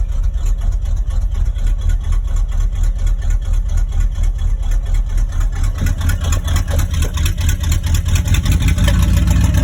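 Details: 1986 Chevy K10 squarebody V8 just after a cold start on an icy day: deep steady idle rumble, faster than normal while cold but even with no misses or knocks; engine healthy, runs and drives fine.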